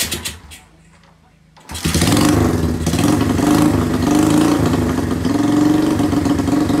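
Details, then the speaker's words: 1981 Kawasaki Binter Mercy 200cc rare motorcycle, two-stroke plug fitted, compression good, carb cleaned; first start after revival: engine catches after a pause and settles into a steady, even idle about four beats a second, running unassisted. Normal idle. "guys jadi UN motor ini udah berhasil hiup jadi seperti inilah suaranya dia"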